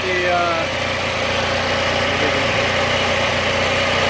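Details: Bolens AJ Foyt 3014H lawn tractor with a Briggs & Stratton 14HP opposed twin, running after a solenoid replacement and rewiring with safety switches bypassed: steady, even idle with a smooth low thrum and no stumbling, knocking or hunting. Normal idle.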